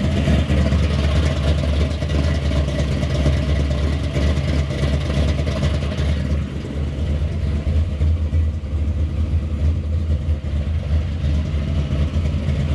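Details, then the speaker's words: Monte Carlo engine swap V8, third start: deep, steady even rumble with no tapping or knocking; oil pressure finally achieved, engine running healthy (front seal later suspected leaking). "the last video you saw was when we fired it up when we have finally had oil pressure everything was going good"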